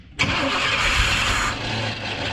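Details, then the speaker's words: Abandoned K5 Blazer, first start attempt with starting fluid sprayed in: starter spins the engine with a loud, busy churn that never settles into a steady idle; old fuel in the tank is bad, pointing to a fuel supply fault. "Let me get inside so I can crank on it a little bit. Okay. Well, we know that fuel is not good in there."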